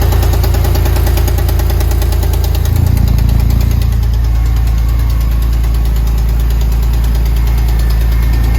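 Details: Porsche 996 engine at idle: deep rumble with a dull, fairly regular knock about three per second; suspected piston slap or bearing damage on the second cylinder bank, not confirmed; knocking noise at idle.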